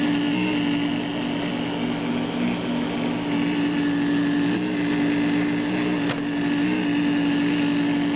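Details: Cheap generic laptop power adapter with an ungrounded AC pin, as a hand moves toward the chassis. A steady mid-pitched hum and buzz is heard through the speakers, from poor shielding and bad design. Electrical interference hum.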